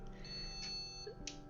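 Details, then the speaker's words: H370 Pro4 motherboard that will not see its RAM, with the module moved to another slot: a high shrill beep for about a second, then short beeps repeating in an endless loop. This is the beep code for memory not detected. "No detecta la RAM. Ya me tiene loco ya de tanta pitadera."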